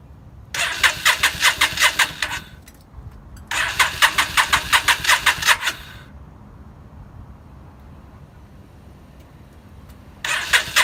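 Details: 2003 Yamaha V-Star 650 with single Keihin butterfly carb, only fires on starting fluid: repeated cranking with even compression beats near 158 a minute and no firing, crank no start.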